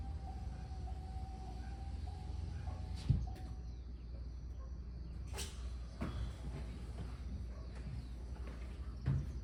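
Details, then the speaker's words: 2025 Chevrolet S10 pickup after engine shutdown following a longer drive, happening intermittently since new: faint thin whine over a low hum fades out, then light clicks; owner unsure of cause. "E aí? Vocês escutaram esse barulhinho depois de desligar ela? Isso aqui vem acontecendo desde 0 km. Não acontece toda vez, acontece depois de um trajeto mais longo assim."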